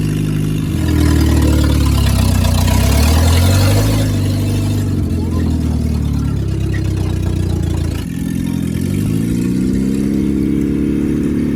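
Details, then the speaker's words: International Scout 800 revived from junkyard, first drive after freeing stuck engine, carb tuning and new fuel pump: engine pulls cleanly through revs and settles evenly, no misses, knocks or rattles; runs healthy. "i'll tell you what i can't believe how good this engine's running now i've done some carb tuning off camera and stuff"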